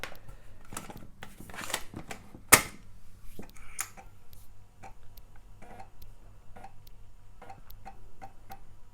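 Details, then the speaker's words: Amiga 600 on Kickstart 2.0, using a modified Alps floppy drive with the Amiga Power Pack disk: quick clicks and short head-seek chatter over a soft motor hum while loading; the disk loads to a mouse cursor, so the drive works. "It's loading, and we have a mouse cursor. Nice. So the drive works."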